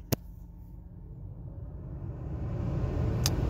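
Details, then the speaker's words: 2006 Chevrolet Impala heater blower that cuts out intermittently, apparently when a phone is plugged into the dual-port charger: low rushing hum climbing back to full speed; blower at full blast. "so if you can hear that I have a full blast right now"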